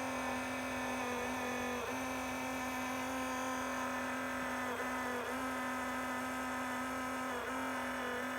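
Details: Enermax Liqmax III liquid CPU cooler on a non-overclocked Intel 10600K, failed after 9 months: a constant droning hum with buzzy overtones and brief pitch wavers from the failed, loud pump.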